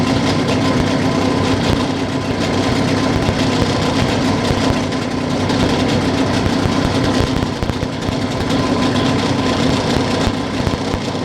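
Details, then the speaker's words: Yamaha 9.9 outboard after carburetor adjustment attempt: low, uneven two-stroke idle sagging briefly midway, barely holding; mixture not fully adjusted, checked by half throttle in gear then sharp slowdown, stalling means not adjusted. "By the way, you can also check if we adjusted it correctly by giving it half the throttle, or even higher, with a shift engaged, and then sharply slow down. If the motor stalls, then it is not fully adjusted."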